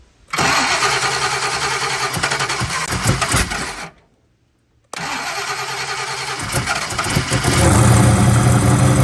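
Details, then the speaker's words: Turbo 383 small-block Ford V8 after new rocker arms and lash caps, first cold start on a very cold day with timing not yet set: lumpy idle, small exhaust leaks, previous metal-on-metal tapping gone; normal idle with no valvetrain tick. "a couple of exhaust leaks but the tapping is it's got a little bit of exhaust leaks but the tapping is gone it was like a metal on metal tap so I'm happy with it"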